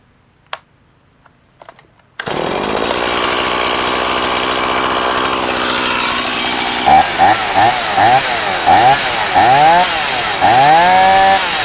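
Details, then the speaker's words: STIHL MS170 chainsaw with about a 16-inch bar, broken handle and an on/off switch that sometimes fails: it pulls over, settles into a steady even idle, and crisp throttle blips rise and fall. It runs great. "I'm sure that can be fixed very easy, but I'm going to start it up and let you hear it run. It runs great."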